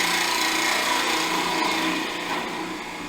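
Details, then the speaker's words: Woodturning a Yule log box, cleaning up the end face with a smaller gouge nearly 6 in from support: a rough fluttering scrape and uneven rattle as the tool skates. This is workpiece chatter from the vibration. "if you not controlling it you'll find that you can get it skating [Music] backwards and you can hear the sort of vibration because it is some length nearly 6 in away"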